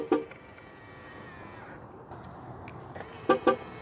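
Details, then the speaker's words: Tesla Model Y, early vs newer build: short double horn chirps, then a single chirp, on lock and unlock, sharp and clean over quiet street; normal confirmation, sounding slightly different between builds. "okay so another thing that I have noticed also is when you lock the doors the horns are a little bit different again not a big deal"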